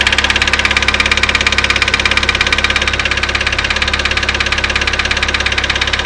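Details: Daewoo Lanos: steady quick ticking knock, about three per second, over the idle; engine knock, possibly hydraulic lifters.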